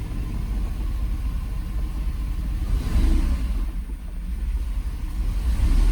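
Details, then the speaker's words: 1995 Mercedes SL500 (R129) V8 stuck in limp mode with ASR and ABS lights on, after codes were read: deep uneven rumble with revs surging and sagging rather than holding steady; clearly running rough. "Yeah, car's clearly not happy."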